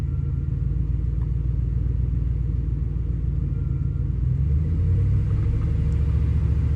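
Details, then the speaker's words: 1998 Ford F-150 running lean and rough with slight intake backfiring under load; it rumbles unevenly as revs climb. Fuel trims improve at 1500–3000 rpm. The cause was vacuum leaks from a worn throttle body gasket and cracked EVAP hoses, plus faulty spark plugs. "It's running a little bit rough. There's some slight backfiring from the intake system under load."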